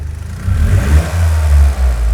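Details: Toyota GR Yaris G16E-GTS after fitting Weldspeed intake plenum and Kelford cams: crisp throttle blips rise and fall cleanly over a steady low idle with no hiss or stumble; revs freely, no leaks.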